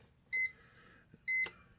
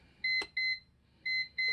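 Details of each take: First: CyberPower CP585LCD UPS after a new battery is fitted to fix continuous double beeping: two short high beeps about a second apart for the normal power-on self-test, a relay click as it checks the battery, then no more beeping. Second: CyberPower CP585LCD 585VA UPS repeating paired high double beeps over and over, warning of a dead internal battery; holding the mode button silences it, battery replacement fixes it.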